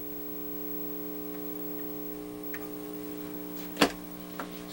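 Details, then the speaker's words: Commodore 128 computer after replacing a chip: audio output works but with a steady low buzz with even overtones and occasional clicks; capacitors suspected. "all right so it is generating sound but there is it awful buzzing here"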